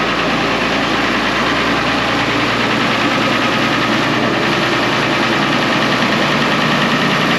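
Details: 1970 International Harvester 1456 Gold Demo barn-find diesel tractor, first start in 14 years: runs on its own with a busy but steady clatter and no misses or stumbles; the oil pressure light goes off, so it is running normally.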